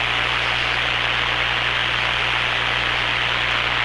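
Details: Hammarlund SP-600 receiver after replacing power-supply filter electrolytic capacitors, mains raised to 117 V, B+ around 260–300 V: steady, even hiss with faint low hum, no crackle or popping; normal background noise, repair judged successful.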